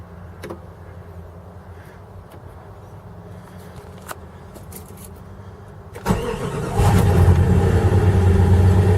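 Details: 1995 Jeep Grand Cherokee 5.2 V8, below 30°F, after throttle body cleaning, Seafoam and idle air control valve, previously hard starting below 35°F with 1200 rpm high idle: brief crank, quick catch, steady even idle; healthy cold start.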